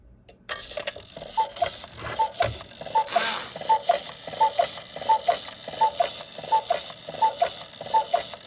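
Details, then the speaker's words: Vintage gravity-driven wall cuckoo clock after repair: the door opens, the bird swings out and the bellows (windbag) give regular, clean two-note cuckoo calls about every 0.7 seconds; the cuckoo mechanism works properly. "You'll see the door open, the bird swing out, and then this thing tips his tail up so he can do his thing."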